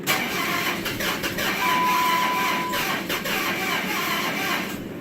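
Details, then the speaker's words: 2007 Dodge Charger R/T 5.7 cranking normally without throttle: steady, even cranking for seconds, never fires; has 55 psi fuel, spark, wet plug, new cam and MAP sensors, no theft light; backfires through intake with throttle; owner suspects crank sensor. "okay so if I crank it normally"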